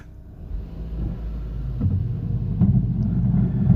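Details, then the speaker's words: Citroen C3 creeping forward: low scraping rumble building as the wheel drags on the body; collapsed front suspension is letting the tyre rub. It may have been driven a couple of miles like this. "Now, this car has just drove into me and it sounded like the engine was dragging across the floor."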